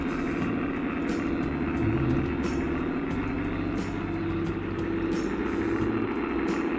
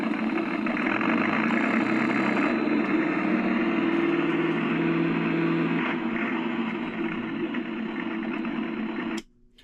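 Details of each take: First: Accucraft Goose #2, roughly 25 years old, on track after the broken drive gear was replaced and the motor oiled, battery possibly a little low: steady motor hum with light clicks about every second and a quarter as it climbs the grade smoothly. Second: Accucraft Goose #2, around 25 years old, RCS-converted, running forward: strained motor whine with an uneven labouring drone and dragging gear chatter; the drive binds on a broken gear and stalls on grades, doing slightly better in reverse.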